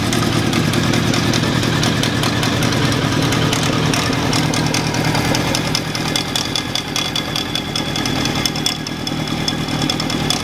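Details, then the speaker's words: Honda CB750 cafe racer after a carburetor rebuild, at idle. Rough, uneven idle with a light knock of about three taps a second mixed into the clatter. It seems to come from the alternator area, possibly a bearing, but this is unconfirmed. Idle knock. "so after starting the engine and just sitting there on idle that little knocking noise it just seems to be coming from the alternator here whether it's a noisy bearing or here I just I'm not 100% sure what it is"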